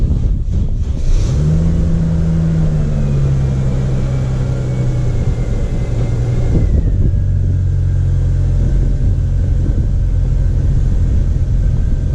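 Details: Mercedes at idle after a rear subframe replacement, first start once back on the ground: it starts and runs smoothly with a steady low hum and a light blip, with no knocks, rattles or clunks. Normal idle.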